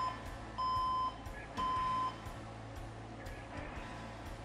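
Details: PC powers on with a known-good keyboard but the monitor gets no image; long high single beeps, about half a second each, repeat irregularly over a quiet hum, a POST beep code with no display; owner suspects burnt power supply or motherboard.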